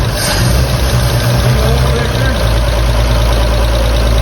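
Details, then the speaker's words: 1954 Chevrolet 3100 truck, original 235 straight six converted to 12V, first run since 1978: deep steady low rumble, even beat, no tapping or knocking, oil pressure present; idles smooth and tight, some smoke from tailpipe. "you do yeah you got oil pressure Eng noise no knock thing is tight as can be"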